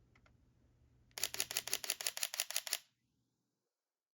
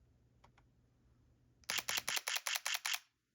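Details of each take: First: Sony a6700 with Sony 40mm f2.5 at 1/125 s, f2.8, ISO 2500: a quick, even burst of crisp shutter clicks followed by quiet. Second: Sony A7C II with 40mm f/2.5 lens, mechanical shutter, 1/125 s, f/2.8, ISO 2500: quick burst of about eight crisp evenly spaced shutter clicks; owner suspects a fake sound played through the speaker, since covering it changes the sound.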